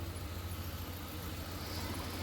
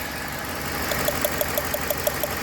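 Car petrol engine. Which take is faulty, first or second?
second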